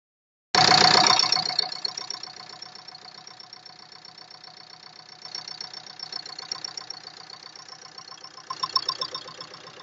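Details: Engine catches and settles into a sharp regular metallic ticking about four per second over idle; owner suspects valves hitting the piston, cause unconfirmed.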